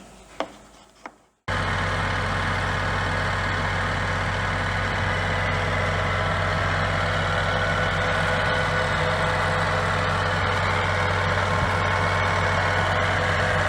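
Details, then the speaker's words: Scania G410 (2021) truck, 13-litre OC13 methane engine, up to ~500,000 km, idling after rebuild for overheating from running without antifreeze (cracked heads, melted piston, scored liner, failed liner seals): short knock, then deep, steady, even idle without misses; healthy. "так тихо работает? Тихо так работает? Это ж бензиновая."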